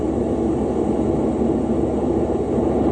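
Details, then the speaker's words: 2017 Lennox rooftop HVAC unit, leak found with the H10 and pinpointed with an ACCUTRAK ultrasonic detector: a steady, even rushing hiss; a slow refrigerant leak just seeping out, possibly on the middle pass of the coil. "So what I think's happening is, if I was to pump this unit up with 500 pounds of nitrogen, I think we'd get a steady stream, but I think the leak is just kind of seeping out."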